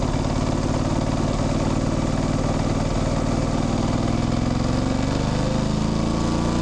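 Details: Motorcycle riding: steady engine drone with a light chain chirp that climbs in pitch as road speed builds. Gear changes clunk; the rest is engine, gearbox and clutch noise. Normal drivetrain sound.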